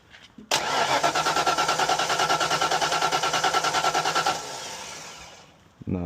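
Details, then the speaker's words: 1991–92 Ford Mustang Foxbody convertible no-start after a fuel pump replacement, gauge showing no fuel pressure: even starter cranking at about three beats a second for four seconds without a catch; it gets no fuel, traced to a faulty fuel pump relay. "it is not getting fuel."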